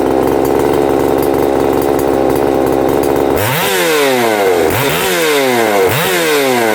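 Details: Husqvarna 262XP two-stroke chainsaw after its broken starter was swapped; it runs steadily for three seconds, then blips to full revs repeatedly, picking up cleanly and falling back: normal running.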